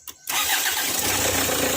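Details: Kia Sportage/Hyundai Tucson after a cranks-but-no-start fault traced to a loose camshaft sensor connector (sensor resistance okay, cleaned): brief crank, engine catches at once and settles into a smooth, even idle; starts and runs normally after the fix.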